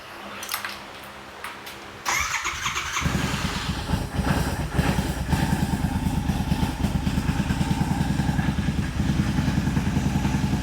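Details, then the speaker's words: Royal Enfield 650 twin just rebuilt with a Revelry 700cc big-bore kit and new clutch, first start after reassembly with plenty of oil: cranks, catches in a couple of seconds and settles to an even, low-pitched, quiet idle with no clatter; sounds right. "that's nice and quiet. That motor is quiet as it can be. Yep, that sounds all right."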